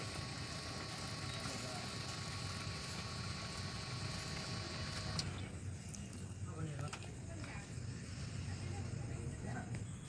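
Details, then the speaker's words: Mahindra Bolero Maxi Truck Plus with a starting problem, new in-tank diesel fuel pump motor assembly fitted, key on for a flow test: steady high hum with faint tones for about five seconds, then cuts out; pump running normally. "இப்போ வந்து diesel டேங்கில் motor பூஸ் மாற்றிருக்கனால இப்போ எவ்வளோ diesel வருதுன்னு check பண்ணிக்கலாம்."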